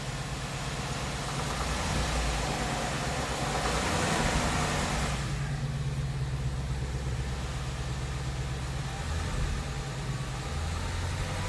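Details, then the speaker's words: 2017 Ford Mustang GT 5.0 V8 at about 10,476 miles: faint, uneven knock/tick under the rumble between 1000 and 1500 rpm; light ticking began around 7,500 miles, worsening by 9,000; dealer calls it normal, owner disagrees. "All this knocking comes from between like 1000 RPM to 1500 RPM."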